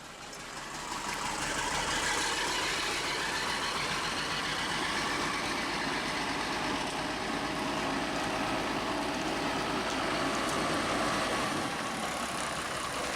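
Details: Bus diesel engine after fitting a new 5.5 kW starter motor, running on its own fuel supply: steady diesel clatter with an even beat of about four a second and no misses; the fuel feed still needs fixing.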